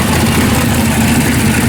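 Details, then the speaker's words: V8 street car with new headers, steel wool stuffed in exhaust baffles: loud even rumble with steady low throb, no rattles or misses when ramped up; exhaust now tolerable and sounds good. "Well, that's tolerable right there. You can tolerate that. Ramp it up a little. Sounds good. Actually sounds good."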